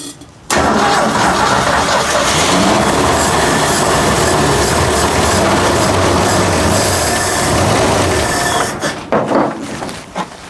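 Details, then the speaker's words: 1967 Ford Econoline with 300 (4.9), first crank in about 15 years, new plugs, wires, cap and rotor, starter fluid: short crank, catches at once and settles into an even, steady run; healthy start. "that is awesome that ford 300 is probably one of the best engines ever ever built whoa man that's impressive"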